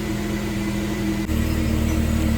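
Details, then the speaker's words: Jeep after new relays were fitted, warming up at about 750–800 rpm idle with good oil pressure, recorded at the exhaust: an even, steady low hum with no puffing or ticking; a whirring from the engine bay remains, cause unknown (engine or new bearings?). "It sounds pretty good back here at the exhaust. I still hear what sounds like a whirring noise up there in the engine bay, and I'm not sure if that's the engine, the new bearings, or what."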